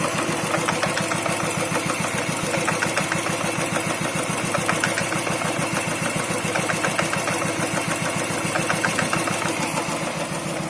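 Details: New Royal Enfield Thunderbird 350X single-cylinder at idle: clear metallic clatter on every beat, about 3.5 per second, from clutch side, present since day one despite repeated service visits; clutch noise.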